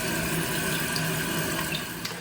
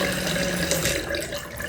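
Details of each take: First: Toilet refilling after the vibrating water restrictor washer under the fill valve was removed. Smooth, even rushing water with no buzz or hum, so the vibration noise is fixed. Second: Toilet refilling after a flush with a buzzing hum and a high whistle over the rushing water. The noise persists after the top of the fill valve was serviced.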